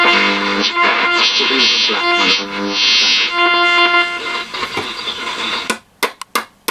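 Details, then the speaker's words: Stella ST415T transistor radio, about 1962, PP7-type supply run from a PP3, switches cleaned, medium/long wave: music plays cleanly then drops out and returns in bursts; intermittent output typical of failing AF117 transistors, being replaced with Russian GT322B. "of trying to work this intermittent which is a classic telltale sign of the af117 syndrome"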